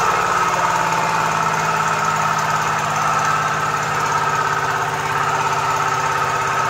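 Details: Komatsu PC-20 excavator with 3D84 diesel, low power, black smoke and hard starting: heavy, uneven clatter with a loose, irregular beat over a dense roar; faulty injectors causing rough running.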